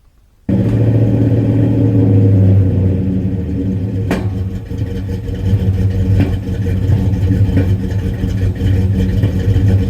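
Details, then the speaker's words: Rebuilt 360 LA V8 (probably a late-'70s truck block, 60 over, Keith Black flat-top pistons, J heads, 2.02 valves): steady rumble with irregular sharp pops near collector/H-pipe, not carb backfire; suspected unburned fuel, unsolved. "it's been making a pop pop sound uh it's not backfiring out of the carburetor it's a sound that's coming you know somewhere around the uh collector h-pipe area"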